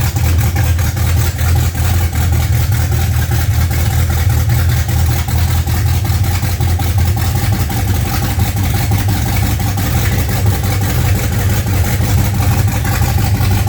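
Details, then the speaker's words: Freshly built 355 small-block Chevy V8 (double-hump heads) in a '55 Chevy on first fire-up: strong, steady, even low-pitched burble with no knocks or misses; normal smooth idle. "We did get it running, so that's a huge plus. Makes us feel a lot better, and we'll probably get on it a lot more now to get it finished."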